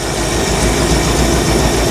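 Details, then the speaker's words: 1975 Bricklin SV-1 V8 during tune-up, temp gun shows several cold exhaust ports: rough lumpy idle with uneven pulse, popping and stumbles, picks up when revved; three cylinders not firing, owner suspects dirty carburetor; multi-cylinder misfire. "also not happy so we got three holes that are not firing seems like it doesn't want to idle but then it picks up when you rev it"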